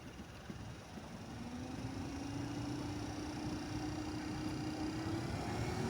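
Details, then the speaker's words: 2012 Chrysler Town and Country front blower motor just replaced, tested before reassembly; old motor growled with a low-pitched bearing grind; new one is a smooth quiet hum climbing gently in pitch as it spins up, no growl or grind; normal. "it actually does sound a lot better already yeah it had kind of a like a low pitched bearing kind of grindy sound so but that's all it takes"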